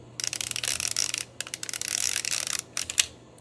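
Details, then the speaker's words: Reto Ultra Wide & Slim 22 35mm camera rewinding film with the back open: rapid light, crisp ratcheting clicks as the rewind lever turns, no grinding; normal rewind clicking. "now you're going to rewind your film and you're going to hear a clicking as you do it and that's completely normal"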